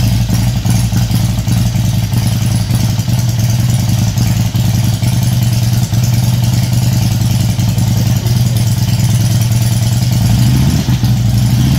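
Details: 2004 Harley-Davidson FLHTCU after Feuling cam plate and oil pump upgrade, first start: deep, even V-twin loping idle with a steady beat and no knocks or rattles; engine running healthy.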